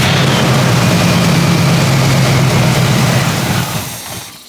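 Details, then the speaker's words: 1977 Pontiac Grand Safari wagon, 301 V8, parked since 1996, run on sprayed brake clean since the carburetor seems completely plugged: loud rough V8 with fast uneven beat, then sags and stalls as the fuel runs out. "All right, I lost the fuel source here. Try it again. Yeah, I think this carburetor is completely plugged because we filled up the float bowl and we aren't getting anything except what goes down it."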